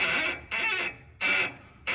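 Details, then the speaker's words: 2022 Ford F-150 with about 13,700 miles: a sharp, high squeak with each turn of the steering wheel, three half-second bursts. Front-end noise traced by ear to a dry upper ball joint with old grease and a zerk fitting that seems frozen. "tomer says that he hears a squeaky noise in the front end turn the wheel back and forth customer concern confirmed all right so pretty much visual observation trying to follow the sound sounds like it's this side sound like it's coming from that upper ball joint I here what sounds like it's coming from this ball joint"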